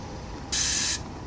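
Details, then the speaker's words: 2016 Ram 1500 with newly installed AirLift 5000 wireless air bags, dumping to preset 1: a sharp half-second hiss as the bags vent, then quiet; the system works normally. "There we go, preset 1. Look at it dump. All right, well, that's it. Sounds like we got a good working system."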